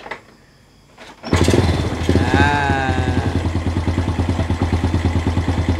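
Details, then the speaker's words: Honda EX5 just fitted with Taikom racing clutch bell and racing auto clutch starts after a second and settles into an even, quiet idle with regular firing pulses, sounding stock; normal idle. "Alhamdulillah bila kita pasang mangkuk clutch daripada Taicom ni, enjin bunyi senyap."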